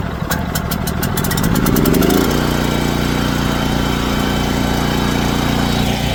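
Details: Lincoln Bulldog 5500 welder small engine, tested with new power switch: starter whirs about two seconds, catches and settles into a steady, even run with no knocks or misses; healthy.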